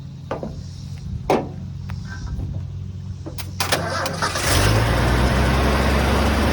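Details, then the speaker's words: 1980 Ford F100 V8, first start after sitting outside 20 years, with mystery oil in the cylinders and a stuck belt left disconnected: it catches after a few sharp bangs and cranking, then settles into a steady, even rumble; normal start and idle. "a little better it's a lot better listen to that thing"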